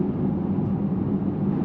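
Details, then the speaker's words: Electric car with a homemade aluminum roof rack with five tubes, while driving at about 70 km/h: a constant low droning wind hum over road noise. It grows louder as speed rises. "La baca ahora está montada allí con cinco tubos y ahora estamos perdiendo de vista cuánto empieza a zumbar ahora que ya se escuchan un poco de 70. Afortunadamente, no hay nada peor que el silbido. Es un gran zumbido constante."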